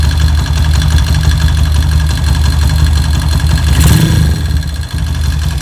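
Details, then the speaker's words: Motorcycle after swapping the old S1 camshaft for an EDO E2 camshaft, more power but noisy: deep, lumpy idle with an uneven beat, no crisp ticking on top; runs rough, cause suspected, not confirmed. "Jika Anda ingin membeli E2, pikirkan baik-baik karena alat ini mengeluarkan suara berisik."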